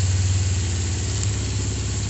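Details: Kawasaki GPZ 500S 498cc carbureted twin, freshly serviced and rebuilt: even low throbbing idle, steady beat, no hesitation or misses; normal idle.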